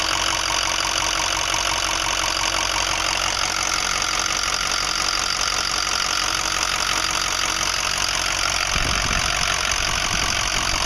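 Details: 2005 Ford 6.0L Powerstroke diesel idling with a rough loping knock about three beats a second that doesn't settle, worsening since 8 reman injectors, new fuel pump, filters and oil change 80-100 miles ago; owner suspects harness, FICM or injector(s), unconfirmed.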